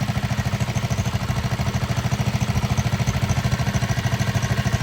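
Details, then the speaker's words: 1960 Wheel Horse 400 Suburban, four-horsepower single, no-spark fault fixed, long-sitting, on first drive in first speed: even thump about three beats a second, no knock or miss; healthy running. "There you have it. First drive. Who knows how long this one's been sitting."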